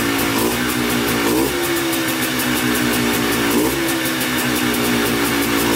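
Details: Polaris Trailblazer 250 two-stroke quad, first start on choke after cheap eBay top-end kit, new air filter and carb rebuild, break-in with throttle blips: crisp buzz climbing cleanly on two blips and settling back; starts right up, stays running.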